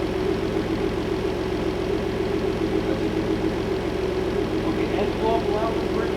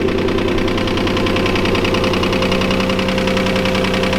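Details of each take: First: Clifford, after replacing the rod-knocking engine with a new one: even steady idle for about seven seconds with no knock or tapping, then shut off; normal idle. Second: His old engine had rock knock, and we are finally replacing the engine with a new one to support the boost we are pushing.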